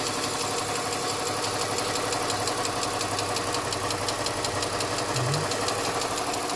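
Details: BMW 325xiT touring, all-wheel drive, manual, bought non-running from a salvage auction with front damage: steady idle with a quick, even light tick throughout; source unknown, owner hopes it goes away.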